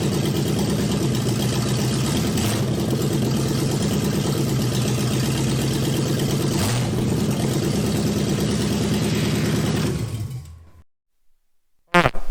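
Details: Junkyard four-door Chevy Nova on jack stands, no exhaust pipes, in gear with rear wheels turning: loud raw open-pipe rumble fairly even for ten seconds, then cut off, no knocks; normal running in gear.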